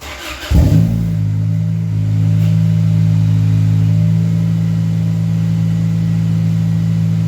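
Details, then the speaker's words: Honda Accord CD5 2.2 four-cylinder with new $145 2 3/8-inch cat-back, no muffler or resonators yet: engine catches and settles into a deep, loud steady drone, no leaks, normal idle. "Don't get me wrong. It's still a 4-cylinder with a shitty fart can. All right. Don't get me wrong. But I expected it to sound about 30 times worse."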